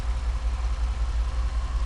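A low, lumpy idle with uneven dips in the beat points to a steady misfire; worn piston rings are the cause here.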